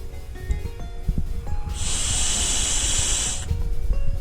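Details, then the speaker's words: 2017 Subaru WRX Air Lift 3P air suspension, check valve from a Viair 444C compressor about 2.5 years old, blown through by mouth from the wrong end: steady hiss for almost two seconds; valve leaks backward, owner suspects a failed spring. "i don't know if you could hear that but i can blow through both ends which shouldn't be happening"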